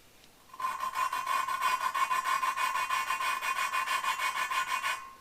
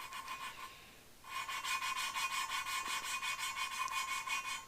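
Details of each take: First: all right now i want you to listen when i start it's going to sound very coarse and grinding and then it's going to smooth out and become less raspy when it becomes less raspy you need to change your lapping compound see how it's very coarse Second: Valve lapping by hand with light fingertip pressure, back-and-forth strokes nearly three per second: the rasp has turned smooth rather than coarse and gritty, meaning the lapping compound batch is nearly spent.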